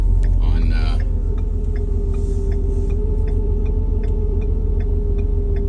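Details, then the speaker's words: Ford F350 6.7 Powerstroke diesel at idle: steady mid-pitched whine over the low idle rumble that builds the longer it sits at a stop, persists in neutral, and goes away on revving without returning; cause unknown. "but it builds the longer that I'm at the stop [Music] if I put it neutral still there and if I rev goes away and doesn't come back"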